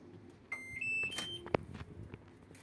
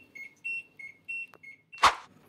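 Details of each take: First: LG washing machine after repair (failed lid-open sensor bypassed on the board): a few sharp beeps on power-up, then quiet running and soft rush of incoming water, no beeping error; now starts normally. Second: LG washing machine that won't start after pressing Start, beeping a rapid high-low error non-stop because the lid-open sensor has failed, even with a magnet; fixed by bypassing the sensor.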